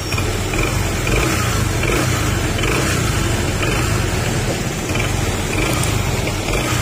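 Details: A nearly new Honda PCX160 scooter at about 7,000 km idles with a noisy CVT: a fast, busy knocking rattle from the belt drive, like a rod knock. It also vibrates strongly, even at 80 km/h.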